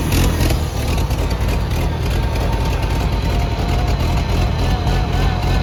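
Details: Gas Oliver Super 77 tractor with wide front and factory 3-point hitch, first start after sitting, two-stroke gas in it, no steering: low, uneven idle with deep throaty beat; it fires and keeps running.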